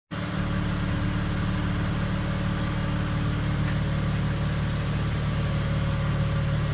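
Steady idle with a constant low hum riding over the engine note, no change in pitch; source of the hum not pinned down.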